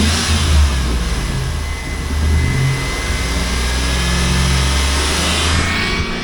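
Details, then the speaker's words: Hail-damaged 2004 Chevrolet SSR with 5.3L LM4 V8, about 79,863 miles, automatic, sat a while: deep even V8 rumble rising and falling with throttle, no knocks or misses; runs and sounds good. "So runs good, sounds good, everything else is okay, which is fine by me."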